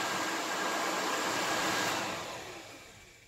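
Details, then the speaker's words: VW Squareback fresh air box blower fan, repositioned so it no longer rubs against housing: steady even rush of air with no rubbing or ticking, then smooth wind-down; normal blower operation. "now let's see that's how it's supposed to sound it's supposed to were but it's supposed to be you know not that loud and shitty"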